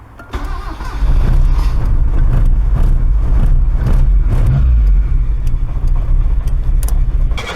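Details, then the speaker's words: 2002 Proton Saga Iswara 12-valve SOHC 4G13 carbureted engine, 5-speed manual, just started after an oil and filter change to thinner oil, no leaks; cranks and catches into an uneven, stumbling, lumpy idle; rough start, owner plans to adjust the valves. "yeah rough start don't know why looking okay so far don't see any leaks but yeah that's the rough start right there"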